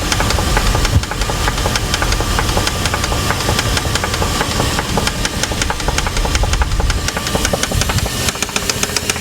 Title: 4.7 Engine knock